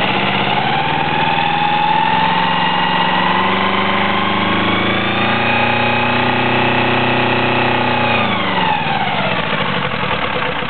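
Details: 1982 Yanmar 2GM sailboat diesel with KM2A cone-type transmission: loud high squeal in forward gear only, from about 1200 rpm rising in loudness to about 2900–3000 rpm where it fades; not belts, water pump or alternator; none in neutral or reverse.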